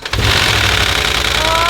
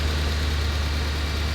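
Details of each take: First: 2011 Mercedes ML63 AMG salvage-auction first start: about two to three seconds of rapid uneven metallic marbles-like clatter, then runs fine; suspected oil not reaching where needed at startup. Cold-start rattle. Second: 2011 Mercedes ML63 AMG (500 hp) from salvage auction, first start: after a brief bad-sounding start, now steady, even idle with no knocks or ticks; suspected oil not reaching lifters and valves at start of crank cycle.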